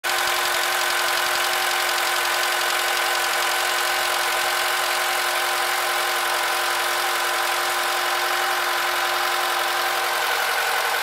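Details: Honda K20Z2 engine at idle: a fast, uneven tick riding over a high whine; an abnormal extra noise in the engine, cause unknown.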